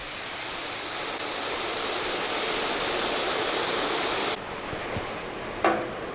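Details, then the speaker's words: Coal-fired steam boiler for steam bending 1-inch kiln-dried ash wagon bows, just starting to build pressure, not yet registering on the gauge: steady soft high hiss, no knocking or clatter, boiler quietly venting. "Mon bateau à vapeur, vous pouvez probablement entendre qu'il siffle un peu, donc il y a un peu de pression dessus. Il n'y a pas encore assez pour s'inscrire sur la jauge."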